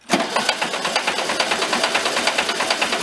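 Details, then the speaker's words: Barn-found circa-1973 VW Karmann Ghia, unrun about 31 years, cranked on lift via jumper button: sharp clack about three per second while cranking, likened to rod knock; cranking to build oil pressure, cause unknown. "so a little bit like a rod knock huh"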